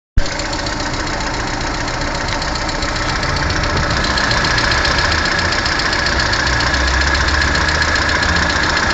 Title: Стук в двигателе 1.4 16 клп Калина